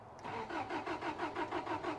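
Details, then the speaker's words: 1985 Toyota Pickup rock crawler with ECU wiring being traced: steady starter cranking, about six pulses a second, engine never firing; fan and fuel pump hum whenever ignition is on. "it'll crank and and crank and crank not sure if you can hear that humming but both the fan and fuel pump are on all the time if the ignition is on"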